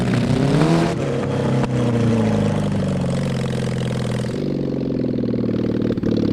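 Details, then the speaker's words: Mid-70s Honda CB750 SOHC 750cc engine in 1980s Suzuki Quad Sport 230, push-started downhill, no real exhaust, worn points; revs rise and sag, bogging on throttle and occasionally clearing; carburetors only cleaned, suspected faulty; rough running, bogging under throttle. "it seemed like you had one or two kind of clear yeah it it occasionally it would clear out and want to go"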